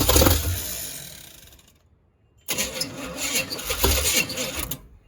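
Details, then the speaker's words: Neglected Chevy K5/K10 V8 on first start attempts, water found in some cylinders, stuck throttle/carb parts: short burst of firing that dies, then a second uneven run of a couple seconds before quitting; it wants to run. "So yeah, it wants to run."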